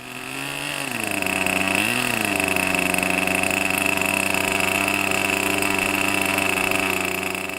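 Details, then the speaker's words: 35-year-old OS Max 21 FSR model engine on a wooden bench mount, run after rebuild on fresh fuel with shortened fuel lines: high steady buzz that wavers as it picks up, then runs evenly; running rich with the jet still well off, untuned, warming up. "Can tell pretty much straight away that it's a lot happier with the new fuel, which probably still contains some combustible material as opposed to the old stuff. Definitely running a bit sweeter. Still miles away with the jet in at this point"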